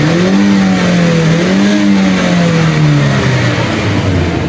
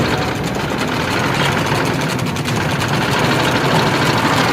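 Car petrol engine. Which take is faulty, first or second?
second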